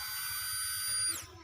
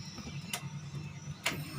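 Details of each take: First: 2008 Daihatsu Xenia new replacement fuel pump, bench-tested outside the tank with ignition on: thin steady high-pitched electric hum for about a second then smooth wind-down; pump runs fine, replacing old pump that sounded rough. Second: 2008 Daihatsu Xenia, engine idling and running normally: a low, coarse, rattly drone from the in-tank fuel pump, likened to a passing train. The pump is worn and rough, so it is being replaced before the car strands on the road.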